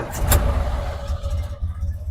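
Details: 1930 Ford Model A Woodie cold start in neutral, clutch in, spark advance lever fully up and a brief choke blip: a deep, low rumble catches and settles into a steady, even run with no knocks. Normal cold start.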